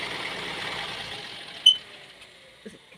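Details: Maruti Swift diesel shutting down. As the engine winds down, one sharp high chirp sounds, then a faint second one, from a misaligned silencer (exhaust) mount bush that is seating incorrectly and leaving a gap.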